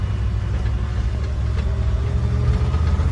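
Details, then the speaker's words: IH 4x4 Loadstar, an old fire truck with a carburettor, being driven on the road under power: steady deep drone with no popping, spitting or misses, carb well adjusted; normal running under load. "Running pretty good. Really like we're under power nicely. Not popping or spitting like the carbs adjusted up well."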